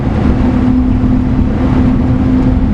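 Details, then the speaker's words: Mini truck (Daihatsu HiJet S83P) carrying a load of wood, on new Maxxis MU07 Ceros 23x8R12 mud tires while cruising. A faint steady hum sits just above the low road rumble, quieter than the previous tires. Mild tire hum. "They seem a little quieter already. Now they do hum a little bit, but I gotta tell you,"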